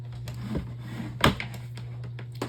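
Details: Black desk fan on speed three after its damaged blade was replaced: a steady low motor hum, even, with no wobble or rattle, much better than before. Normal fan operation.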